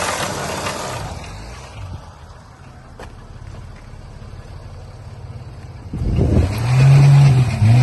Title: 2012 mercedes ml350 engine knock